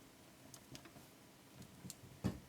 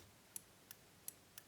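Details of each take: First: Revox G36 four-track valve tape recorder from the early 1960s, with irregular clicks and pops over a faint hum when the input valve is moved in its socket; loose contact, may need the socket pins tensioned or cleaned. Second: Early-1960s Revox G36 valve tape recorder spool relay, previously stuck with age, freed by moving springs: five crisp light clicks about three a second as contacts switch cleanly.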